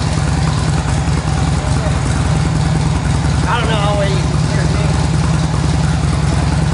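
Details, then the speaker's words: Stock 2007 motorcycle, 10,000 miles, not warmed up, just after GlidePro motor mount install, no break-in yet: low lumpy but steady idle with even rhythm, no stumbles or tapping. Normal cold idle. "it's not warmed up down yet nice clely in your motor"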